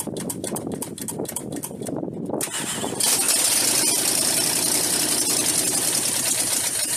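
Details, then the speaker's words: Truck restarted after adding transmission fluid: it cranks and catches, then runs unevenly with a hissy open-exhaust roar and won't settle into a steady idle, even with the idle kicked up. Rough idle; a vacuum leak is suspected. "Okay, maybe we're not at the idling point yet. We're getting closer. Heat. Okay, we definitely got a vacuum leak someplace."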